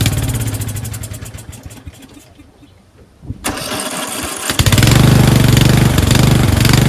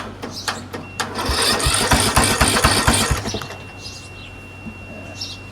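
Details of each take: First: Craftsman 13.5HP 30" rear-engine riding mower, after carb cleaning, runs off choke: cranks, catches, settles into uneven chugging that falters after a few seconds as the bowl empties; fuel starvation from a collapsed fuel line. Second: Craftsman 13.5HP 30-inch rear-engine riding mower cranks rapidly and evenly for about two seconds, then fires and settles, after the faulty solenoid was dealt with and a borrowed battery fitted; normal cranking and start.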